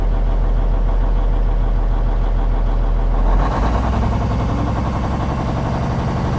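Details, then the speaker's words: Cummins N14 diesel just restarted after replacing the cam follower housing shim/gasket: even clatter rising cleanly in pitch as revs climb, no misses or knocks; nice smooth acceleration. "That's a nice smooth acceleration now."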